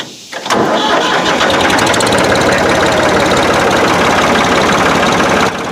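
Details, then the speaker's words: Old equipment starting first try and settling into a loud, steady full fast idle with an even beat and no knocks; sounds healthy. "Full fast idle."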